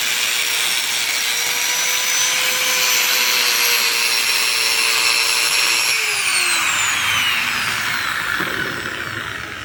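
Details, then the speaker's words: Black & Decker G720 Type 4 angle grinder after replacing lower armature bearing (previously hoarse, loud, smoking, sparking): smooth steady high whine winding down cleanly, no rasp or grinding; normal running after repair. "bem viu funcionou direitinho sem barulho é fora do normal né"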